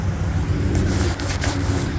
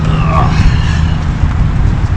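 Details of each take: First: 2014 Chrysler Town & Country van: loud steady low hum above about 25 mph, tied to road speed, not RPM or turning; front wheel bearings replaced 3–4 months earlier began humming a month ago; owner pretty sure it's a wheel bearing. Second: 2014 Chrysler Town & Country van rolling after front wheel bearing replacement: steady low road rumble with no rising hum or growl; the previous hum above 25 mph is gone.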